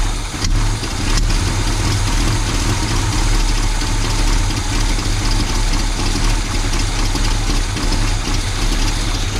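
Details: 1984 Chevy C20 truck V8 revived after years in storage, distributor from a 1972 installed, no exhaust manifolds fitted: deep, steady rumble at an even idle with no misses, knocks or ticks; runs smoothly and healthy.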